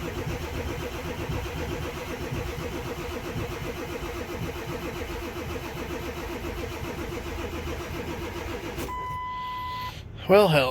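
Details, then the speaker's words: Ford 7.3 Powerstroke diesel, below 30°F with low batteries charged about an hour, after fuel heater short and cracked-cap fuel leak repairs: slow steady cranking for nine seconds, no firing; crank no-start from inoperative glow plugs. "all right well it still hasn't started yet i've ran the jump packs down i've ran the batteries down"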